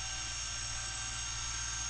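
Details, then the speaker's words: Brüel & Kjær WA 0155 balancing demo unit with new belt, motor speed feedback-regulated and read by an MM0012 photoelectric tachometer probe: even high-pitched whir holding one speed, no surging, wobble or rubbing; normal steady motor speed. "um and it's rock steady over there because it's feedback regulated and all that kind of stuff"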